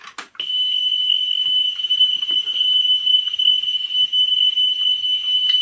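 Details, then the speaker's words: Pioneer CT-W205R 1990s auto-reverse double cassette deck during service: steady relatively consistent high test tone played back with faint handling clicks, flutter about 0.1, before head azimuth alignment. "see this is not too bad there let it die down to normal see that's a relatively consistent tone"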